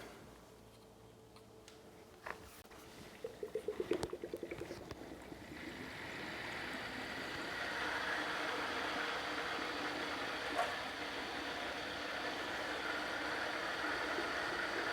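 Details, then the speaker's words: Custom PC water-cooling loop being refilled after a drain and flush: a few rattly bursts, then steady gurgling and sloshing as the pump first starts, sucks air from the lines and drinks the reservoir down; air in pump lines during fill. "also the lines will have air in them so the first time I turn it on it's going to drink a big bunch of water and I have to be prepared to squirt the pump"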